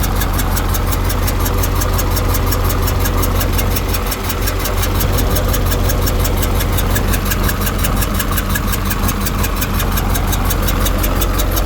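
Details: KamAZ diesel engine: steady idle with a regular knock riding over it, roughly 85 per minute; engine knock, cause unknown.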